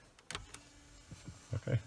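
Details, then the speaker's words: 2004 Saab 9-3 Clarion CD unit reinstalled and reconnected after stuck-disc repair, final test: a few crisp clicks and brief whirr as the disc is drawn in, smooth and healthy; normal CD loading. "so that sounds good we're going to do our little test here so it takes the CD in it ejects the CD"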